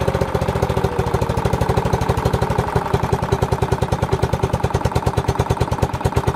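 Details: Old cast-iron Briggs single-cylinder on a Simplicity VC walk-behind tractor, started after years sitting outdoors: quick steady popping with sharp hard-hitting pulses; lacking compression and seemingly firing hard, points gap to be checked.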